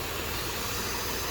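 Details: 2007 Dodge Nitro 3.7 V6, about 147k miles, check engine light on with codes P0507 and P0456: a steady airy hiss rides unchanged over the even idle, pointing to an intake vacuum leak still present.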